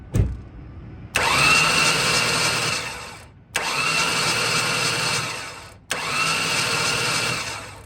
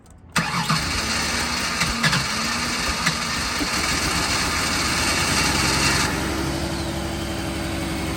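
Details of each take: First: Ford Taurus sitting unused about three years, spark plugs removed after fogging oil, new battery: three even bursts of fast starter whirring about two seconds each, no binding; cranks freely, not seized. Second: Ford Taurus unused for about three years, old fuel, smoke possibly from fogging oil: after a few cranks it catches and runs unevenly, stumbling.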